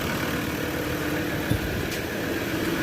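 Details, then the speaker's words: Ford Ranger diesel idling after diesel flush, oil change and XADO treatment: steady low rumble, no knocks or misses; quiet, very smooth, no smoke or blow-by. "tahimik na yung andar oh. Very smooth."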